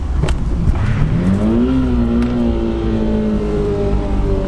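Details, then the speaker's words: Test car after shifting into 1st gear at high speed, now at full throttle around 80 km/h: weak, uneven, lumpy drone climbing slowly, running on only three cylinders; misfire, engine damaged. "There are only three cylinders left one is gone.."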